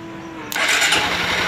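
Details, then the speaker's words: 2013 motorcycle (2014 model) with no start, starter tested by bridging terminals directly: faint hum, then a strong, even whirring crank with no clicking or grinding; starter motor good and ruled out, relay still to test. "o arranque Tá bom já descartamos certo"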